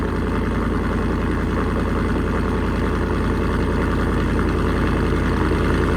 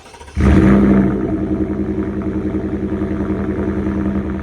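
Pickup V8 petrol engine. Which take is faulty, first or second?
first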